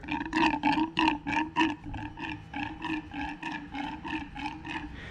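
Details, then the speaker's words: 2017 Jeep Wrangler 3.6 V6 after thermostat housing replacement and coolant top-off: wet gurgling bursts about three a second as the coolant hoses are squeezed, trapped air being pushed out of the cooling system. "so that's usually how I get air out of the system, is I just squeeze the hoses until the air stops coming out."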